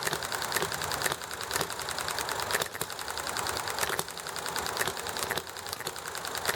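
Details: Enjomor hit-and-miss engine running nicely, with highway traffic and chatting in the background: sharp firing pops about twice a second with coasting gaps between, over background clatter; healthy, normal hit-and-miss running.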